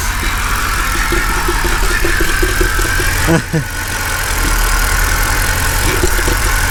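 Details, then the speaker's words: Flood-damaged 2008 Mercedes CLK550 on first run after water was drained from the engine, with old oil still in: loud, ragged running with a stumble and bad shaking. Owner suspects it is picking up water from the intake; no engine knock. "oh oh now it's shaking badly it's probably it's it's picking up the water from the intake"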